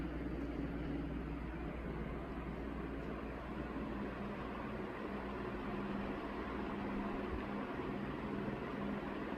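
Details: 1981 Evergo 36" industrial ceiling fan, model 3E-6, cast-iron motor, aluminum blades, at about half speed: steady whoosh, low even hum and rhythmic helicopter-like chop from blades, no rattles. Normal running, moving lots of air.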